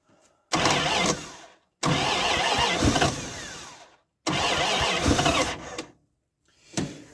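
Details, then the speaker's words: 1978 Dodge D100 pickup that sat for years, cold, after a fuel pump swap: three long cranking bursts with ragged firing attempts but it never runs; choke open and ignition not hooked up. "For some reason, it does not want to fire."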